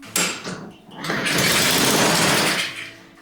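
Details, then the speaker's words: Honda HRN lawn mower that sat unused for a couple of seasons and would not start. After a spritz of brake cleaner into the intake it fires and runs briefly, then dies, showing fuel starvation from a carburetor that needs a rebuild. "we know it's a fuel related symptom we know this mower hasn't been used is very long and we know all it needs is a good oldfashioned carb rebuild"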